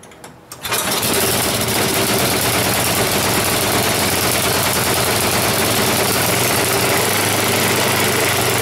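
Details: Snowblower small engine given a final run after its tire repair, before returning it to the owner. It catches after a second and holds an even, steady idle putter with no stumbling; running fine.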